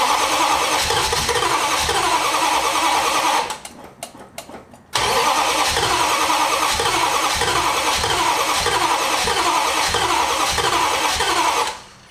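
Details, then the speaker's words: 1968 Valiant ute with 318 V8, running rough for weeks, now cranking after plugs refitted: two long bursts of steady starter cranking, about three beats a second, no firing despite plenty of fuel; crank no start from fouled spark plugs, replaced. "no is not life the moment is it certainly squirting plenty of fuel in"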